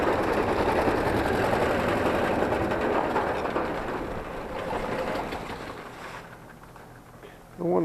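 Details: Carrier heat pump outdoor unit: a fast, steady rattling thump three or four times a second from a bent, creased condenser fan blade that is shaking itself apart.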